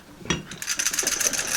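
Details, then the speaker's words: Seat Ibiza old seat belt assemblies being shaken: loose tinny rattle showing the pretensioner canister has deployed, so the belts need replacing. "So basically that's a canister that deploys and that tightens up the seat belt. So basically when the airbag deploys, it basically pulls that tight in and will lock it as well."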